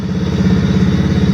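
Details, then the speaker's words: Brand-new 110cc Chinese fully automatic ATV, first test start after assembly: even quick putter at idle with steady beat, no knocks or misses; transmission running pretty good, normal idle. "transmission running pretty good it does have a headlight and a tail light"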